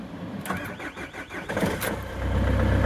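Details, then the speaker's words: Master van in chilly weather, following a water manifold/thermostat replacement: quick, even cranking about 1.5 seconds, then catches into a steady diesel idle; battery and starter sound strong. "That's good, that battery sounds good."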